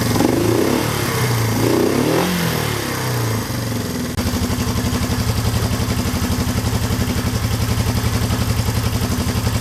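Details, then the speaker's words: 1972 Honda CL350 twin running on one cylinder (other plug disconnected) after being set to 1000 rpm; the idle mixture screw is turned out until the lean mixture makes the rpm fall off, during carburetor tuning. "turning it out. There, it just fell off. RPM slowed down."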